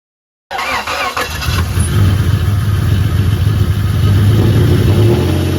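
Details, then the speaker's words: 1996 Toyota 4Runner 3.4 V6 (5VZ-FE) after head gasket and cylinder head replacement, cold start in snow, first fire: short crank, then it catches and runs up to a steady, fairly even cold idle with some revving and no knocking. "First fire. Cold start. First time I heard that noise in a while."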